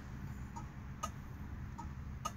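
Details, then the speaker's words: 1969 Dodge Dart 4-door, original: crisp paired clicks about every 1.2 seconds, even and steady, left turn signal flasher working normally. "turn signals wait right yeah how about that sound the old days God bless them left side see left side"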